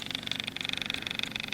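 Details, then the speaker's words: 2013 Mahindra MAX 22 HST diesel tractor after fuel filter replacement, key held in glow-plug position for 30 seconds to bleed air: fast, even high-pitched ticking buzz, about eighteen clicks a second, from the low-pressure electric lift pump priming. "And you can hear, I believe this is the little the fuel pump, the low pressure fuel pump. You hear the sound."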